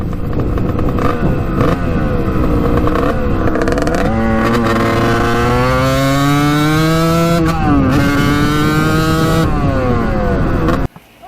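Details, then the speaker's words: 1989 Kawasaki KX125 two-stroke on first ride after power valve replacement, needle clip moved up: revs out but cuts in and out at high rpm; owner suspects still too rich, may raise clip another notch. "revs out now but not all the time you can hear it kind of like in and out of revving up high"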